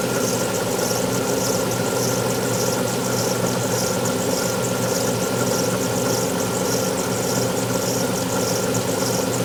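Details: Alfa Romeo 156 V6 in for timing belt replacement, recorded at cold start: idle carries a hissy high rattle and uneven slow thump about every two seconds; two distinct abnormal noises heard only when cold, cause unclear.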